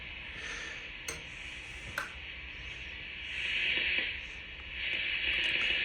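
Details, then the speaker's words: Swan 350 ham transceiver on 80 meters after replacing both Jackson drives, VFO backlash spring knocked off; thin steady hiss swelling and fading with faint clicks and no clear signal; poor receiver sensitivity, damage or long-standing fault uncertain. "At any rate, yeah, the thing sounds like trash. 80 meters."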